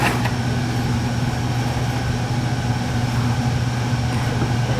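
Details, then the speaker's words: Oil-fired lowboy furnace during annual service, with the blower kicked in: a deep steady low hum and rumble. The ductwork drums because it has no cross bracing. "Look at this. No cross bracing. That's why it's making all that noise."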